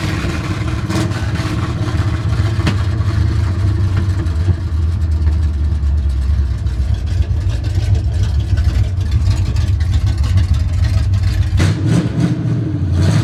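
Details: 1970 Chevy C10 truck revived after 10 years parked: very loud, raw, booming low rumble at idle and under throttle, open headers; no exhaust system fitted, needs one.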